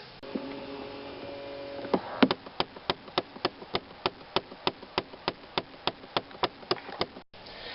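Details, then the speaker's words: 2008 Chevy Impala dash: sharp, even knocks about three times a second from a failing HVAC blend door actuator. "well on this car whenever the actuator goes bad it makes a horrendous knocking noise"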